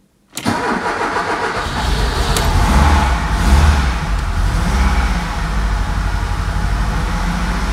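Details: Ford Scorpio 2.0i GL, 200 km after repair of a fault put down to a suspected bad contact: the engine catches instantly on the first crank and settles into a steady, even idle with no misses or knocks; a healthy start.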